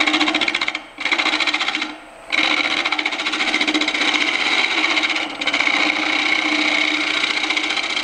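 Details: Dry, twice-turned elm bowl gone oval on the lathe at 1,000 rpm: spindle gouge scraping gives harsh chatter pulsing with each revolution, intermittently contacting the out-of-balance, out-of-round blank while truing it up.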